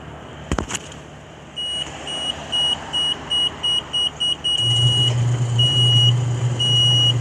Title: Edwardian Apartments Electric Gate B beeping at a lower alarm tone